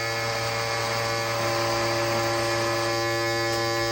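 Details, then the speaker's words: RCA SJT 400 CED player at first power-on, load indicator lit: loud, steady buzzing drone with a thin high whine; loading motor straining. "splashing l which means load making a really awful racket which i'm sure it's not supposed to be back in"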